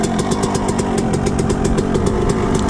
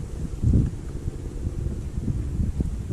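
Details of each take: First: Suzuki RM125 two-stroke after engine rebuild: crisp, even popping at steady idle after high idle settled down, exhaust spitting old premix, no knock or misfire; engine runs clean and healthy. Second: Suzuki RM125 two-stroke after engine rebuild, during break-in, stainless exhaust, choke off; fires and settles into fast buzzy high idle that slowly drops, exhaust spitting old premix; high idle after start, cause unknown.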